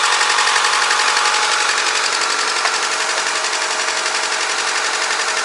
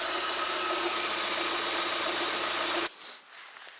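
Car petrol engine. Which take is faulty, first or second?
first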